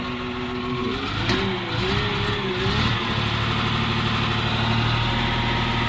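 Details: CAT 950H wheel loader diesel, error code 36 for number one injector open circuit: runs with an uneven, lumpy beat and a dropping pulse, one cylinder not firing. Dead injector causing misfire and low power.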